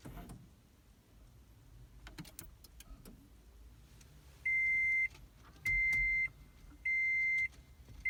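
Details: 2010 Toyota Prius, intermittent no-start after being used to jump-start another car's dead battery: foot on brake, start button pressed, three long even high beeps with no engine sound, no dash lights; hybrid won't power up.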